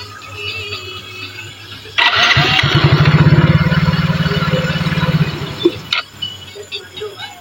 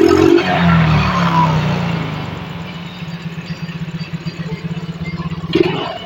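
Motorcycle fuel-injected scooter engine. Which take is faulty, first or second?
first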